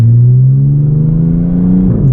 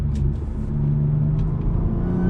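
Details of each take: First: Audi with stock exhaust, muffler delete and cat-less downpipes, heard from the cabin while driving: a deep, steady booming hum that swells with light throttle, drone that is fine at idle but unbearably loud on the road. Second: Supercharged Audi with new mufflers refitted, heard from the cabin under gentle acceleration: a deep, even exhaust rumble with a light rising supercharger whir and no booming drone at cruise; the drone problem is fixed.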